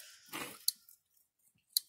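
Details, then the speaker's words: An electric fence energizer rated for 30 miles gives sharp, loud clicks about once a second. The clicking is louder than it should be because the hot wire is touching the fence somewhere and shorting to ground. "can hear that clicking it shouldn't be that loud so that's telling me that it is touching the fence somewhere"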